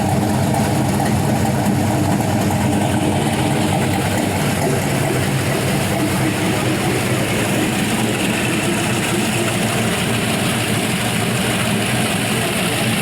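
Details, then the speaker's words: 5.3L Gen 3 LM7 LS V8 with a big cam (228/230 at .050, .585 lift, 112 LSA), new O2 sensors and a base tune, warmed up to 192 degrees: a steady, slightly lopey idle with no ticks or knocks; healthy normal idle. "so there you go 192 degrees it's pretty well warmed up sounds good runs good should make really good power with a set of long tubes and a tune"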